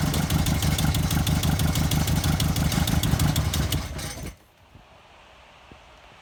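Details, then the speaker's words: 16-valve MK2 VW Golf race car bought as a running project: lumpy, uneven loping idle at about three pulses a second, then it stumbles and dies; seems to run on two or three cylinders and cuts out when the throttle is touched. "bought this as a running project so it's a idles badly it sounds like it's running on two or three and as soon as you touch the throttle it cuts out so we need to have a look and see what that problem is"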